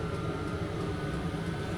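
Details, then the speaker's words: VEPAX DD53 Pro diesel heater in a garage, about 8 minutes after switch-on, display reading about 8.5–9 degrees and 12.9 V. Steady, even low roar with a faint constant whine and no surging or popping; burner running normally. "So I'm already in here with it and it's already kicked in. So I think it's right on there, and it actually says 8 degrees, 8.5 on the screen now. So I think that's right. You can definitely hear it kicking in"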